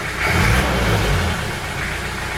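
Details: One-owner Peugeot 504D diesel wagon, 92k original miles: steady diesel clatter swelling smoothly with a little throttle, no knocks or odd noises, healthy running.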